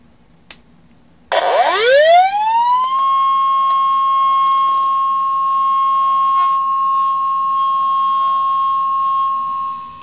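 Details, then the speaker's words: Healthy Maxtor hard drive spinning up: a whine sweeps up over about a second and a half, then holds a steady high tone; a normal spin-up with no drama. "there we go now it's spinning not much drama there let's spin it down"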